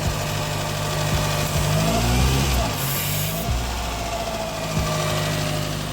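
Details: Toyota Corolla that had been overheating with idle hunting up and down: engine idles too fast after new intake pipe fitted, speed changes suddenly when pipe is pulled, so no leak there; owner suspects one of two sensors, unconfirmed.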